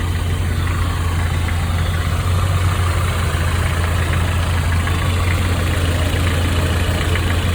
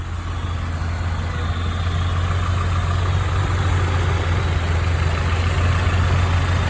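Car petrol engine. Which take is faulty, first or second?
first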